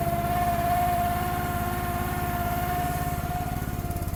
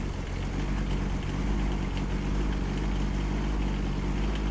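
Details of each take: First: Gas-engine mini machine on a cold, snowy day, choke off and warming up: a steady mid-pitched hydraulic-pump whir over the idle putter while unused. It quiets when the hydraulics are used; the owner suspects the cold, cause unconfirmed. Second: Kymron XH20D 3500 lb mini excavator with Yanmar diesel, cold snowy day, started after warming the glow plugs: steady, even low-rumble idle right after cold start, no misses or knocks, burping some smoke; normal idle.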